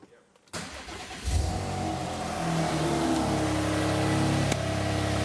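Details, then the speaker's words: Subaru Levorg with built H6 engine and Haltech ECU, first start after downsizing the turbo (wastegate spring changed, not yet retuned): catches quickly, settles to steady idle with a thin rising turbo whistle; normal. "you can hear it whistling the turbo swap has been a success"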